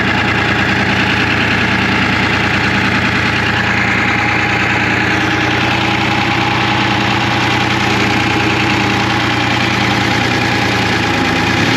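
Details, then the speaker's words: 1975 International Loadstar 1850, Detroit 6V53 two-stroke diesel at idle with intake open and air filter off; loud roar, uneven lumpy beat, one cylinder seemingly dropping out. "but i think it's still got that hole i want to try to get a little bit of heat in it and then we can investigate which cylinder it is"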